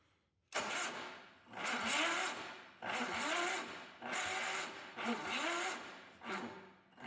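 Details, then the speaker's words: 1976 Power King tractor, with gas poured into the plug hole and plug wire cleaned: the starter cranks in slow, labored surges about one a second, never picking up or firing; weak slow cranking, battery cables suspected. "Hmm, starter doesn't seem great."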